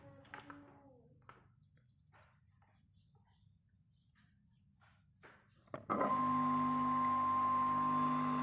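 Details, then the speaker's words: Electric water pump after repair of its impeller and reassembly: quiet, then the pump switches on with a steady, even hum and whine, with no scraping or rubbing; running normally. "Suaranya sudah normal, tidak ada bunyi gesekan. Itu tandanya kalian sudah berhasil memperbaiki kipas penyedotnya."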